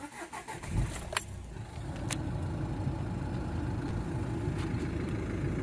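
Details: 2013 Nissan Qashqai 1.5 dCi diesel (no power/boost fault) after cleaner, manometer on: starter whirrs briefly, catches within a second, steady even low idle, no misses or knocks.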